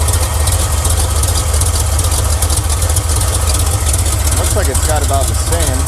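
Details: 1979 Chevy, hot engine, spark checked with test light on cylinder three and compared, plugs thought okay: loud, lumpy idle with an uneven low stumbling thump; misfire, owner suspects distributor, not confirmed.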